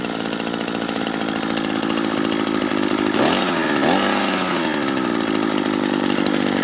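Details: Used Echo gas two-stroke string trimmer after repair with a 3D-printed part and a good carburetor salvaged from three: a high buzzy drone holding steady, with a brief dip and recovery in pitch. Engine runs cleanly and sounds healthy.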